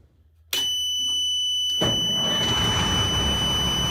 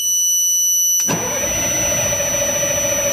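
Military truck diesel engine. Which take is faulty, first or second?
second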